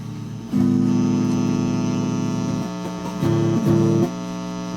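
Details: Guitar amp gives a steady low mains hum with a rough buzz on top, swelling in bursts, after the input jack was cleaned with deoxidiser.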